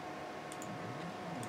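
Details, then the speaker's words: 3018 CNC upgraded to an MKS DLC 2.0 board with TMC2208 Trinamic drivers, jogging the X axis: quiet hum with faint paired ticks about once a second; cause not yet known. "mean i have to figure that out why it's making that noise but it's not a deal but yeah that's trinamic drivers running durable"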